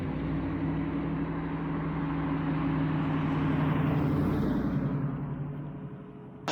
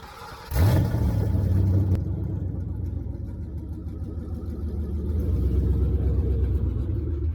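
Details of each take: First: 1966 Mustang with 4.6L modular V8 swap, first start on the new 2.5" straight-pipe exhaust with downpipes dumping at 45 degrees: deep V8 rumble swells through a strong rev and falls back to an even idle; healthy. Revving to 6000 rpm blew off a coolant hose. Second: 1966 Ford Mustang with swapped 4.6L modular V8, driven on its maiden voyage with no exhaust fitted, downpipes dumping just before the transmission crossmember: a deep, raw, unmuffled rumble swelling and easing with throttle, far too loud to drive legally.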